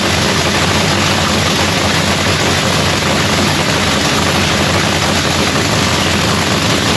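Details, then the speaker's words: Blown race car (Lexus "Prenup"), first start of the season after a new fuel pump (fuel pressure had only primed to 23 psi instead of 72): loud, full roar holding steady without stumbling or popping. "so anyways guys y'all got to hear the car fire up for the first time of the season it sounds beautiful"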